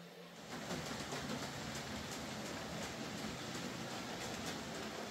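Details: Hornby J15 model locomotive, slow and noisy since new, after a motor replacement: quiet, even hum with faint rail clicks and no rough buzzing or knocking; now running a lot quieter and smoother.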